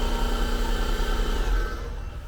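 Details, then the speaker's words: Air compressor of roughly 1500 W running from the bed outlet of a 2023 Ford Super Duty 6.7 High Output's Pro Power onboard system, drawing about 1200 W: the low hum sags near cut-off. The motor labours against tank pressure; the system is believed to be about 2000 W max without surge capacity. "it actually reached air pressure cut off but barely it's having a hard time starting up that motor when that pressure is built up up against it"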